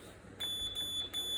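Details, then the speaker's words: $50 flea-market mobility scooter with no drive and no light, possibly not fully charged: two short high clean electronic beeps, steady pitch; horn works normally. "although the horn Works yet still have no light"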